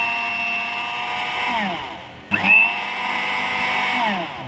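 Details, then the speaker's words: Philips blender after replacing the part that was hitting a plastic part and causing a banging noise; smooth steady motor whine, quieter and softer, no knocking: normal running. "เสียงเบาขึ้นนิ่มขึ้น"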